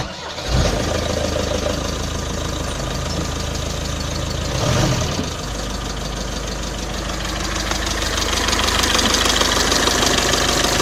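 Engine catches and settles into idle with a regular knock, about three a second, over the diesel clatter; source not pinned down.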